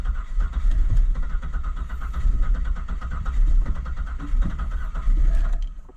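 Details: 2000 Buick Park Avenue cranking after deoxidizer was sprayed into a corroded ignition control module connector pin: steady starter churn with rhythmic compression pulses and a brief kick that never catches; no-start traced to the faulty ignition control module harness plug.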